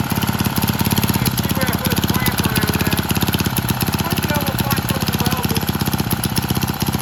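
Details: Vintage Lauson-powered jump starter, rope-start single-cylinder left outside long, floods easily, transmission fluid put in and left overnight; owner suspects a sticking valve freed: quick even putt-putt beat, no skips, knocks or rattles; normal running.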